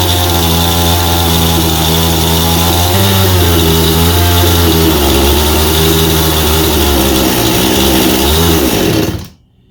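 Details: Husqvarna 51 chainsaw with aftermarket piston and cylinder, likely a big-bore 55 kit (high compression), running after carburetor cleaning for a no-start from sitting with old gas: crisp even two-stroke buzz steady through throttle changes, shuts off cleanly; runs healthy.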